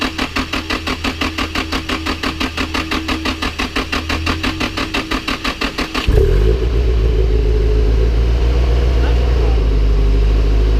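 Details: Nissan SR20DET engine in a drift car build, first start with front end assembled but some clips missing, on a borrowed 12.3-volt battery: even cranking about three beats a second for six seconds, then it catches and settles to a steady run; starts fine.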